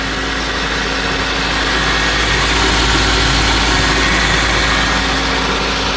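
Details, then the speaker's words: Even, steady idle with a smooth low hum and no clunk or thump after motor mounts were tightened and belt refitted on a 237,000-mile engine; previous noise gone, running as it should, normal idle. "looks good sounds good every King doing what it's supposed to you don't get that noise anymore"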